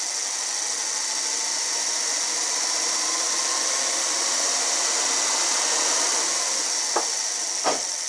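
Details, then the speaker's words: Toyota Sienna, key on engine off, no AC pressed: steady airy rush of cooling fans running nonstop with no engine; failed fan control module. "What I'm going to do, I'm going to turn the key on so you can hear it. Hear the fans just activate."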